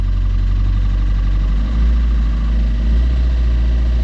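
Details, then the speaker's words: Fiat Qubo 1.3 Multijet diesel after timing chain refit, glow plugs not preheated: deep lumpy, knocking idle below about 1600–1700 rpm as if missing a cylinder, smoothing above; low-speed misfire, cause unconfirmed. "tout ce qui est en dessous de 1000 600 1700 tour minute il tourne comme une patate comme s'il manquit un cylindre tu vois clairement en gros il tourne sur trois pattes quoi"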